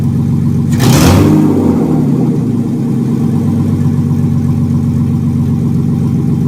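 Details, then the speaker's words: 1995 BMW E36 325i M50B25 donor engine first start before a swap into a Mercedes 190E, exhaust off so it runs straight from the headers: sharp rev blip then a loud, raw, crackling unmuffled idle. "ne running in this car is like and it won't be turned on up until we put it in the 190 so and another thing that exhaust is off so this is straight from the headers it's going to be loud"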